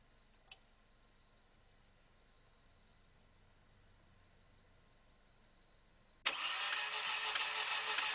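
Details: 1997 Audi A4 1.8T that shut off on the freeway now cranks fast and regularly, about three beats a second, with no firing. The failed timing chain tensioner caused engine failure, and a used engine was fitted.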